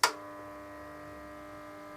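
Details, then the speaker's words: Kiln elements drawing current at start of O1 steel stress-relieving cycle, ramping to temperature: a click, then steady even electrical hum with faint buzz, no crackle or arcing; healthy elements. "And there's a temperature at the moment, so it'll ramp on up to the stress relieving temperature."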